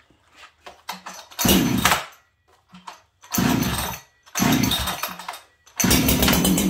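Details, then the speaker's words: Ported Farmertec 288 kit chainsaw with a lightweight piston and a free-breathing, hollow-sounding pipe. Short, sharp blips from idle snap to a high scream and drop back cleanly; a crisp, healthy saw that lights up on the trigger. "that pipe on this saw is breathing quite nicely it's Hollow um it's a good running saw but just listen to the difference between these two saws"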